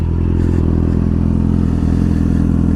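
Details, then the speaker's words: Yamaha R6 engine at idle after a DIY transmission bearing rebuild: a deep, smooth, even burble with steady firing and no knocks or rattles; it runs well, though the owner suspects an exhaust leak. "oh man i cleaned it up nice man sounds good oh yeah oh that looks nice"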